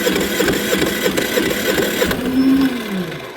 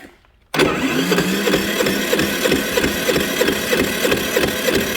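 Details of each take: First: Generator that quit after running out of gas; fuel poured into carburettor, fires in quick even pops for about two seconds then dies, so fuel isn't reaching the carburettor. Fuel starvation. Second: Generator engine after draining water from the carburetor via the bleed valve: catches within a second and settles into a steady, even, fast run with no stumbling; the fault was water in the gas.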